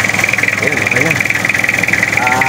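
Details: Diesel engine that would not start because a loose fuel pump hose clamp let the pump lose fuel, now fixed. It settles into an even idle with a steady firing beat and no knocks or misses; running normally.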